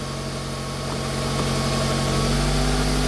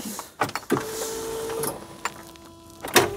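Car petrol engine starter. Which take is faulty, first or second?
second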